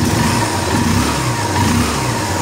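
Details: Honda Invicta CB150 single-cylinder, heard after a top-end repair: the rocker arm train was replaced after wear from a lubrication failure, and the engine earlier made loud noise and vibration. It now revs up and settles evenly with no top-end tapping or clatter.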